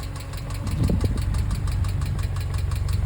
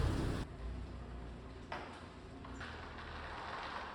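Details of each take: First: Subaru EJ engine in a VW Syncro Doka conversion, at operating temperature, recorded close up before lifter replacement. A light, quick ticking rides steadily on an even idle: noisy bad hydraulic lifters. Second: Subaru EJ boxer engine in a VW Syncro Doka conversion, cold, just after replacing noisy hydraulic lifters; even running and smooth revs with the lifter rattle gone, a faint remaining noise expected to fade when warm.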